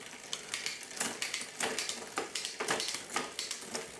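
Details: 1999 Diamondback Sorrento after rebuild with new chainset, chain, cassette and cables, front derailleur adjusted via barrel adjuster: bright clicks and chain ticking as it shifts cleanly between rings, with light rubbing from tyre rubber bits against brake blocks.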